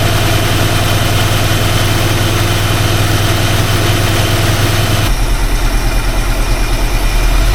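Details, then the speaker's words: Classic engine after a new distributor install and timing adjustment, following a no-start: deep, uneven, loping idle with a faint squeal on top. Runs but misses and stumbles. "All right, it's running. Running rough, but she's running."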